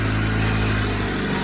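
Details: 2014 Range Rover Evoque after cooling fan control module replacement (old module kept fan running and drained battery): smooth, even low idle with no fan roar; fan now stays off when not needed.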